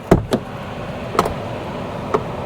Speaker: and and and these cars all had soft closed doors and it works to push a little more there we go